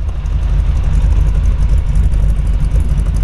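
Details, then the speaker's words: 1948 Ford Super Deluxe Woody Wagon, H&H flathead V8 with a cam, 3-on-the-tree, Columbia 2-speed axle: deep, even, slightly loping V8 burble at idle and revving, no knocks or misses; healthy engine. "can hear the cam in it right now. I'm going to have him rev it up so you kind of get a feel."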